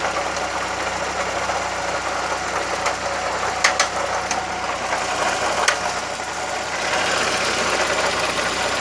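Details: VW Gol "bola" 1.0 at idle: a sharp, rapid rattle with a few louder clacks mixed in. The owner doesn't know the source, which is unconfirmed. Abnormal engine noise at idle.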